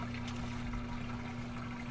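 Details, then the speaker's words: Samsung FlexWash lower washer, after replacing the drain pump (DC31-00178D), old one's propeller loose on shaft: steady low hum with water gurgling through, no rattle or grinding; new drain pump draining normally. "That's what a drain pump sounds like. Good drain pump that is. Water's draining out like she's supposed to."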